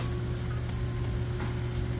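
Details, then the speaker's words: Samsung VRT front-load washer in final spin, spinning super fast for about three minutes; steady even hum, constant low drone, no thumping or banging — normal smooth, balanced high-speed spin. "in case it slows down and does a couple of little final spin outs which sometimes they do but as you can see sounds great nice smooth operation"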